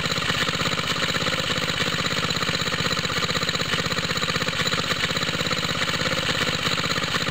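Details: Water pump rig single-cylinder engine, cold start with choke on, straight 30-weight oil, new exhaust tip; smoke from side of head, owner thinks head gasket leaks: idle about four beats a second, slightly uneven and puffy; head gasket leak.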